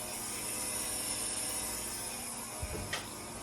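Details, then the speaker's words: Scion FR-S with 1JZ-GTE VVT-i swap, before first fire-up: fuel pump triggered via ECU output test gives a steady high whine and hum for several seconds as it primes and fills the system, surge tank also running. Normal priming. "And then you click invert output and you can actually hear the pump priming and running. And filling up the whole system."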